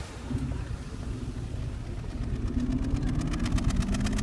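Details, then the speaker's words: Audi A4 1.8L engine at idle with one fuel injector unplugged to test coil packs: idle lopes with a dull rhythmic stumble about twice a second; misfire, which disappears when the injector is reconnected. "And if you can see how it has a very specific pulse to it. And basically what that is meaning is that this cylinder has a misfire, because when you plug that back in, that misfire goes away and the exhaust runs without any bumbles or anything."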